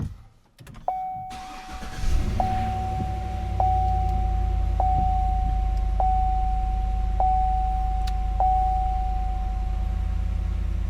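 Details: GMC Yukon Denali started after replacing what the owner believes is the coolant temperature sensor: it cranks briefly, catches and settles into a steady, even idle with a faint regular tick from the belt area. It runs normally and the test drive was fine.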